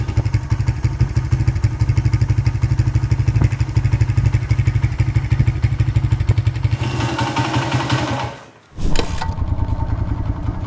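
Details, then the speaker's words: 1994 Honda XR100R single-cylinder, first run after 17 years unstarted, warming up, 103°F day: steady thump about three beats a second with one brief dip; idle slightly low, thought to need turning up a touch. "There we go. Think we might have to turn the idle up just a touch."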